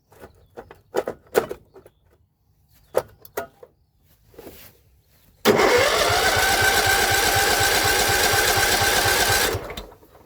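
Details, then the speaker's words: John Deere L110 lawn tractor that sat three years: the starter whirs up and holds a steady whine for about four seconds and the engine never fires. The fuel line is off and no fuel arrives; the owner suspects a failed fuel pump, unconfirmed. "Nothing. Got fuel on the gauge there. That looks alright. Maybe the fuel pump is crapped out, that's why they've got no fuel on that filter."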